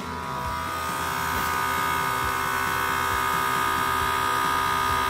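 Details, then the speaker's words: Airlift Wireless Air Gen3 on-board compressor just installed on a 2017 Ford Super Duty dually with Load Lifter 7500XL air springs, wired to upfitter switch aux 2: even buzzing drone rising slightly as it fills to 35 psi. Normal, fairly quiet operation. "Okay, I don't know if you can hear the compressor. That's about as loud as it is."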